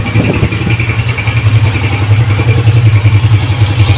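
Steady, even idle with a smooth low thrum and no knocking or rattling; the engine is running sweetly and quietly.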